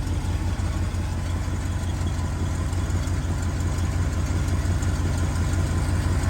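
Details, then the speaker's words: 1969 Ford F250 V8 on a crisp cold morning, idling on its own with a deep, slightly uneven rumble; the choke is hooked up but out of adjustment, affecting the cold idle. "listen to it so the choke is hooked up it's just it needs an adjustment it needs an adjustment"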